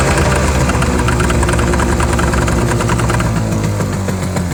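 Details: Yamaha 25HP two-stroke outboard running, noise absent on ear muffs: uneven rattling beat about three knocks a second over exhaust drone; source unclear.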